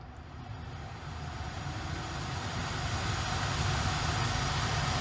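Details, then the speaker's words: Earlier-built 2021 Tesla Model Y, parked in the cabin with the AC turned on: faint steady low hum with soft airflow hiss, no pulsing or rattle. Normal climate system noise. "let's turn the air on see if you guys can hear the difference man now i can hear it too but it's so not annoying and it doesn't get bad it's literally not annoying sound"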